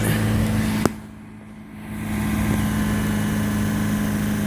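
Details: 2000 Honda Civic after replacing the rusted resonator (B) pipe with a new one-piece pipe, gaskets, bolts and springs. Low, smooth idle with a quiet, even exhaust note, no rasp, puffing or leaks. Normal idle after repair.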